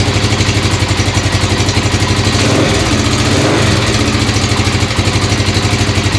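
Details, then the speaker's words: Motorcycle just assembled from spare parts: rough single-beat idle around four pulses a second with light ticking on top; owner suspects the right-front valve needs adjustment. "sounds like I need a valve adjustment sounds like the right front"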